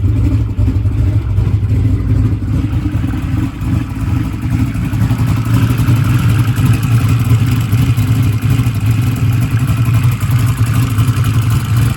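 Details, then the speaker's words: Drag race car cranks slowly and laboriously, about two to three turns a second, without firing, during a current-draw test; a bad battery cell is suspected, not confirmed. "Car is not gonna start. Oops, we got a problem."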